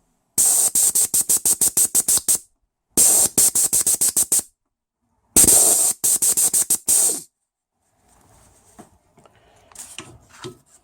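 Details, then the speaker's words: 1996 Toyota Land Cruiser 80 series 4.5 petrol, A442F automatic: removed torque converter clutch solenoid (normally open) air-tested while switched off/on at 10.4–10.5 volts; bursts of crisp rapid clicks, no leak hiss, so it is switching cleanly and not leaking. "Alright, well, initial tests, they're not leaking. They're not leaking at 10.5 volts, 10.4 volts."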